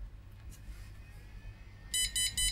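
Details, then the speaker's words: Retro flea-market PC powered on with the RAM removed: faint hum, then four short high beeps in quick succession. POST memory error beep code for missing RAM. "Okay, it could be a RAM error, that particular bleep as well."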